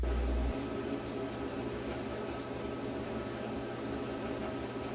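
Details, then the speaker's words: Whirlpool 27-inch dryer after drum baffles refitted and screwed down: smooth, even drum rumble with no knocks, thumps or scraping. Normal dryer running. "Reassemble the top and controls panel and try the dryer to see how it works. Now the dryer should sound like this when it's running."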